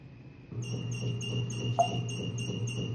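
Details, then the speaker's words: Toilet fill valve making a loud noise: rhythmic squeaky chatter, about three pulses a second over running water, likened to an old foot-pedal sewing machine; warped rubber disc inside the fill valve squealing. "kind of sounds like one of those old foot pedal sewing machines your grandmother used to have or something like that. It did make a sound. But what causes that? What causes that is inside that fill valve, there's a little rubber disc."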